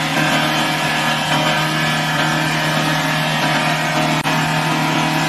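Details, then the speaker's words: Engine running away: a loud, flat-out roar holds at high revs without easing off and will not shut off with the key; engine over-revving, cause not confirmed. "เ่เลยไม่พี่หนูบิดแล้วแต่มันไม่ดับอ่ะพี่มันไม่ดับออดับแล้วโอเค"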